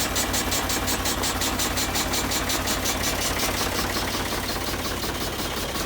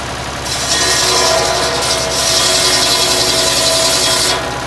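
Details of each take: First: Vintage E.S Hindley cast PTO saw bench, believed unused about 20 years, first run on a Ford 4000 tractor PTO after a light grease and oil: tractor chugs evenly, saw spins freely with a steady whir, no grinding or nasty noises. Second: Vintage E.S Hindley cast PTO saw bench driven by a Ford 4000 tractor, unused for years, test-cutting small wood with a badly blunt blade: harsh rasping, dragging cut over the saw's hum, though it still cuts; owner considers sharpening the blade.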